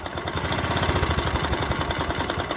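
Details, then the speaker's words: Honda Activa 125 scooter engine at idle, before complete engine rebuild: hard regular knock on every turn, loud and even throughout; damaged crankshaft, complete engine work needed. "तो यहां पर अगर आप ध्यान से सुनेंगे तो इसमें क्रैंक का भी साउंड आ गया है क्रैंक इसका डमेज हो"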